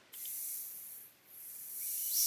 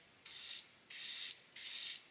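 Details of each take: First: Gaahleri Mobius TG 0.5 trigger-grip airbrush, brand new: air hiss swells, fades and returns as the knob is turned; no air flow because the air control was wound fully in, fixed by winding it out. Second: Brand-new Gaahleri Mobius TG 0.5 trigger-grip airbrush spraying paint: three clean, strong high-hiss bursts of about a third of a second each, starting and stopping crisply; heavy paint flow with good coverage, spraying normally.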